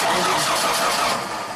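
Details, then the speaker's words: 2000 Genie S60 four-wheel-drive boom lift, sitting for years: about two seconds of even starter cranking with no firing; fuel pump relay clicks off because the computer sees no RPM signal. "We see a power on there, and click, it shuts off. What that means is we're getting power to the control side of the relay, but the computer is not grounding it because it's not seeing any RPM signal, and it's saying that we don't need the fuel pump, which is pretty crazy."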